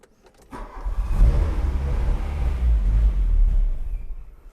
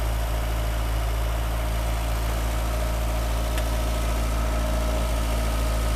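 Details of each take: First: 1985 Volkswagen Cabriolet that sat 10 years, fuel pump running: engine catches and runs rough about three seconds then dies; starts then stalls. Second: 1985 VW Cabriolet revived after sitting about 8–10 years, right after first driving and still smoking: a low, steady idle with an even beat around four per second, no misses or knocks; idling smoothly.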